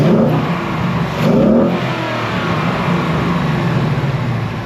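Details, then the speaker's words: 2024 Mustang GT PP V8 with a newly installed K&N cold air intake: blips up and settles back cleanly, strong intake rush on each rev, no knocks or rattles; normal free revs. "Alright, so I'd have to say I love it. Doing those couple revs I heard in there, it just sucks the air really nice."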